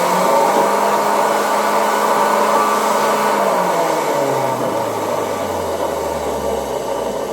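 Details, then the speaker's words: Zelmer type 268.6 vacuum cleaner from 1989, run through a voltage regulator: loud rough whirr over the motor's high hum, dropping in pitch as it slows down; the motor runs but its bearings are very noisy, worn and need replacing. "No silnik działa, ale bardzo, bardzo głośne są już łożyska. Teraz zwłaszcza dobrze słychać jak hałasują, czyli czeka nas fajny odcinek o wymianie łożysk w silniku."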